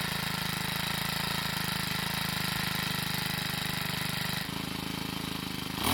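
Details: Troy-Bilt 4-cycle edger with a hard-starting problem, running after being primed with gasoline through the air inlet. Fast, even putter with no misses; once running it idles and revs fine. Valve clearances suspected to be off.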